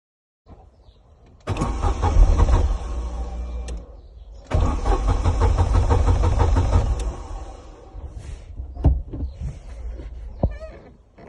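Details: Corsa B 1.0 16-valve gasoline car that started then died; engine cranks in two long bursts at steady rhythm but never catches, crank no start caused by faulty fuel pump relay, not the pump.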